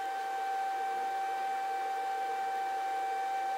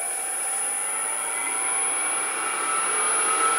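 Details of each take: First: Grizzly G0800 wood lathe just unplugged: steady, pure high-pitched whine with no motor rumble keeps going for a while after power off, then stops; cause unknown. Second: Grizzly G0800 wood lathe motor at full speed, 1017 rpm, runs pretty quietly with a smooth steady whine and even hum, no knocks or rattles; normal motor running.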